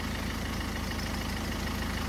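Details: 2011 Ford Focus turbodiesel after a crank-no-start with no fuel pressure: steady, even diesel idle with a low regular thrum and no misses or knocks. It is running smoothly.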